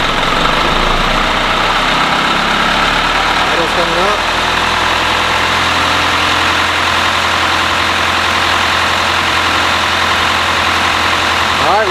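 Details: 2011 Isuzu NQR diesel truck with a DEF failure complaint, warmed up and idling parked during a forced DPF regeneration started with a scan tool; smooth, even low diesel drone with no knocks or surges; normal idle.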